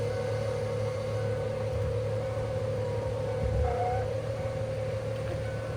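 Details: 1998 Ford Mustang convertible, sat 10 years, with emergency brake on as required: steady constant-pitch electric motor hum under cabin noise as the power top operates normally.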